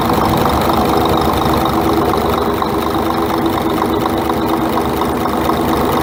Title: Scania R420 Truck Engine Engine Knock